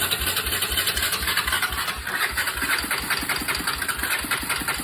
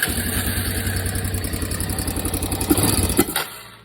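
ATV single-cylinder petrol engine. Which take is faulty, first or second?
first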